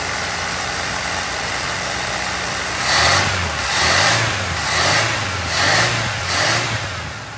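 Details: 1981 Pierre Cardin Evolution 1 with a loose distributor: engine surges in slow uneven waves about once a second, never settling to a clean idle; running very rich, smoking out the shop, cause still to be chased down.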